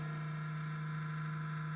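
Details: Crane one-gallon cool mist humidifier, about seven years old: constant low droning hum with a buzzy edge and no mist. Dry, dusty fan bearing; fix is compressed-air cleaning and oil.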